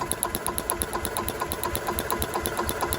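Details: Club Car DS gas golf cart, sat about 10 years, fresh gas and carburetor bowl opened: small single-cylinder engine runs steadily with an even quick firing beat about two per second; firing indicates a bad RPM limiter.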